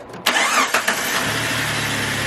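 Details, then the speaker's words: Jeep WJ Grand Cherokee 4.0 after replacing camshaft position sensor, previously crank-no-start and rough idle: short crank, quick catch, then steady even idle with no ticking or hunting; starting and running properly. "you want to know what's crazy is that whenever i would put it in gear it wouldn't idle right so now it's actually idling right who would have thought who would have thought"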